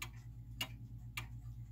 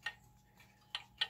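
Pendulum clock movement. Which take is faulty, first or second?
second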